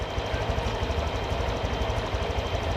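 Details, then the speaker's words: Honda Vario 125/150 scooter after returning idle air screw to factory two turns: steady even low putter, no hunting or stumbling; idle back to normal. "ternyata Idling pada motor ini kembali normal seperti biasa"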